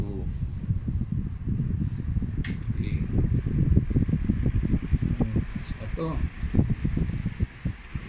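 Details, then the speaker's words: Standard orbit fan number 10 after replacing its capacitor with a new one: fast, even rush of air with choppy buffeting at the mic, spinning up briskly and running steadily with no rubbing or ticking; normal fan run. "Okay palitan na natin ng bago okay nakabit na fan number 10 kabit na yung capacitor oh mabilis na one two 3 4"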